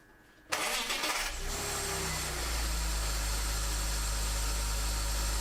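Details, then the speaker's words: BMW E46 after replacing the alternator bearings to cure an under-hood squeal: brief crank, clean catch and steady even idle with no belt squeal or chirp; charging reads 14.7 then 14.2 V; normal start and idle. "the belts are still spinning, I guess it's good"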